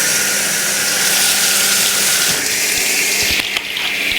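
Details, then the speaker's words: 2002 Kelvinator K605 washer, regular cycle, large load, warm water, after water valve repair: strong steady rush of water filling with faint pump hum; quick full fill with both inlet valves working. "see how quickly this machine can fill now that it has both of the valves working"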